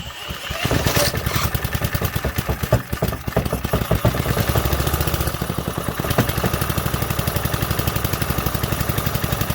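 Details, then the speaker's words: 1968 Briggs & Stratton 2.25 hp single-cylinder, first start after sitting multiple decades, choke used; uneven coughs then steady even putter with very quiet muffler; normal cold start and idle. "Man, that muffler is so quiet."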